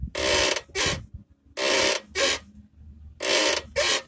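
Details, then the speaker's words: Car sway bar bushings: dry squeaky creaks in pairs about every second and a half as the body moves; damaged bushings letting metal hit metal, or dry bushings needing grease. "el siguiente son los bujes de la barra estabilizadora estos cuando se dañan pega metal con metal y empieza a sonar un sonido como este"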